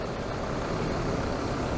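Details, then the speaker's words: SsangYong Rexton diesel (D27DT/D20DT) idling steadily with no knocking or rattling from the belt drive after replacing the belt tensioner whose bolt caused the knocking; no extra noises. "перелетом крутится-вертится никаких лишних шумов нету"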